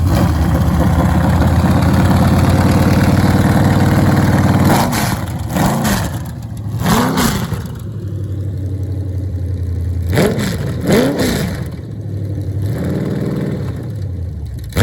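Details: Chevrolet CT350 circle-track V8 on a test stand with shop headers, flat-tappet cam broken in after 36 minutes, mild cam; strong, even idle with crisp throttle blips rising and falling cleanly; healthy engine.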